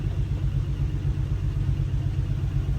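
A low uneven rumble pulsing about four times a second in gear, lumpy rather than smooth; the engine runs rough under load, cause unclear.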